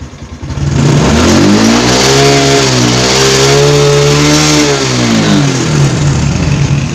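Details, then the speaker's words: Honda Supra X 125 fuel-injected motorcycle that stutters under load or uphill, fuel pressure gauge fitted: revs rise, then pull sags and recovers as the pressure needle drops above the 40 mark, fuel starvation from a dirty, clogged fuel pump filter. "Saat putaran mesin melebihi 40 RPM, tekanannya turun. Jarum itu, jarum itu selalu jatuh."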